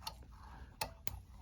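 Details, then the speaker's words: Living-room outlet where lights stopped working, being loosened: sharp irregular crackling snaps, about four in under two seconds, arcing at a loose neutral that was back-stabbed and heat-darkened, with burn marks in the box. "okay so when he was loosening this up you can hear a little bit of arcing so that indicates a loose connection"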